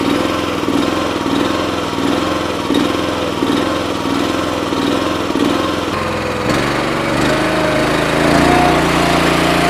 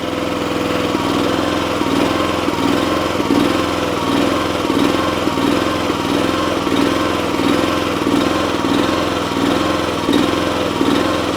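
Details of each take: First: Honda engine on an Eastonmade 9-16 wood splitter after fixing its surging at idle: holds a slow, even idle with the choke fully off, revs up steady and settles back cleanly; before, it surged and needed choke to idle that low. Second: Eastonmade 9-16 wood splitter's Honda engine runs smooth at full throttle but surges up and down as throttled toward idle; owner suspects a clogged pilot jet, to be cleared with carburetor left on the machine.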